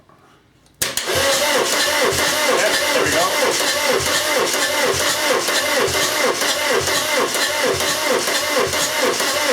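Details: VW camper with a swapped-in TDI diesel, dual mass flywheel just fitted, first cranking while checking the oil pump builds pressure: starter spins it evenly at about two beats a second with no binding or knock.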